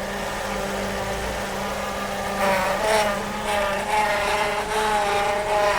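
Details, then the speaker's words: A humming groan rises in surges over the running engine as the steering wheel is turned: the power steering pump is groaning because of air in the power steering fluid. "А почему происходит такой эффект? Из-за наличия воздуха в жидкости гидроусилителя."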